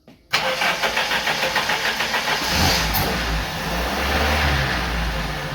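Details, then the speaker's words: 1980 Dodge Dakota 4-cylinder, 5-speed, carbureted with distributor, long-stored parts truck, cold engine: starts, then runs with slow, uneven firing pulses about three or four a second; idle set too low, idle screw adjustment planned, timing also suspected. "I'd see idle's just really slow I'm going to give half a turn really yeah it could be like I said it could be the timing as well well I was thinking just idle adjustment though"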